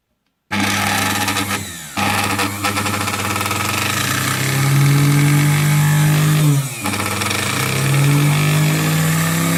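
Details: Singer 431 sewing machine, just arrived with shipping damage and play in the drive worm: motor starts with a buzzy hum whose pitch wanders and dips with uneven catches; abnormal motor noise, owner has narrowed down the cause but motor is stuck in place.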